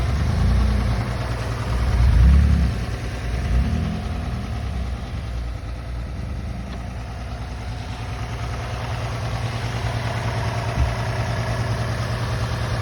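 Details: Toyota 3.5 2GR-FSE V6 at idle, cause unknown: low, steady knock about three times a second under the idle hum; engine knock at idle.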